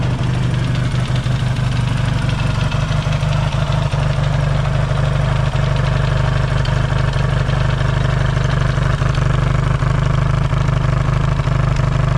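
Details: Yamaha XS650 twin, engine just reinstalled after fixing its oil-burning problem, warm-up idle with points not yet properly adjusted: steady even low thrum at about three beats a second, no misses or knocks; no longer smoking, healthy.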